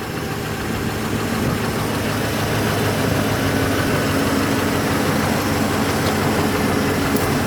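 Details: Saab 9-7x idling outdoors in wind after installing a Quantom 340lph fuel pump and drop-in assembly, about a quarter tank, checking for leaks: smooth, even low hum, no misses or knocks, light wind noise; normal.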